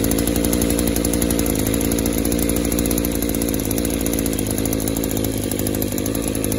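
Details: Echo Power Edge 280 curved-shaft two-stroke edger that runs okay at wide open throttle but smothers and dies at idle; after the fuel system pressure test, a rough, blubbery note that never cleans up, still loading up. Suspected clogged exhaust or scored piston/cylinder, not confirmed.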